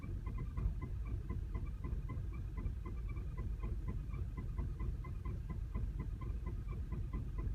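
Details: 2010 VW CC with 29k miles, clutch replaced under a week ago and transmission bled: quiet, uneven, lumpy idle with faint irregular ticking, like a misfire, and a flashing check engine light; it calms at higher rpm with a steady light.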